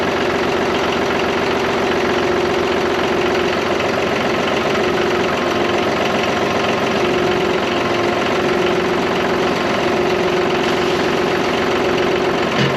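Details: John Deere 5203 diesel tractor with 512 loader, 740 hours, which had a hydraulic problem and milky oil: after an oil and filter change it holds a steady clatter with a faint, even pump hum and no grinding or surging. Running normally.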